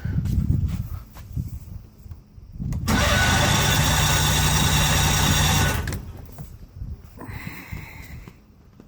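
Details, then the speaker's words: Mercury outboard on pontoon boat, compression test while cranking: starter spins evenly with steady regular beat; cylinders read about 120, 110–115 and 120 psi, good compression. "yet in just about 100 20 so I got good compression"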